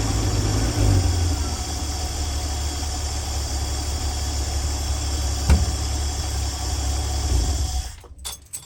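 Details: 1965 Dream van engine at steady, even low idle rumble with no knocks, misses or ticking until shutdown, after wiring short repair and horn relay replacement, no leaks; running cleanly.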